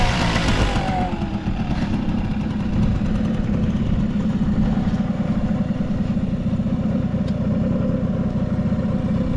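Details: Vintage Honda 12V Squash (AB11) small single-cylinder engine at a steady, even idle after starting, no knocking, rattles or abnormal noise; a quiet, healthy engine.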